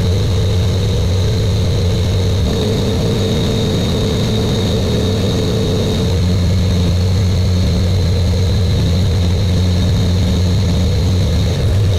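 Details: Buick Grand National with new engine, third and final 10-minute cam break-in run: steady, even fast idle with a smooth low drone, no knocks or ticks; normal fast idle.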